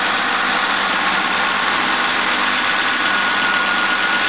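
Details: 1977 Jaguar XJ12 Series II 5.3L EFI V12, after new water pump and fans and radiator refitted, air conditioning on, bonnet closed: smooth even idle with steady hum, no misses, ticks or knocks; healthy.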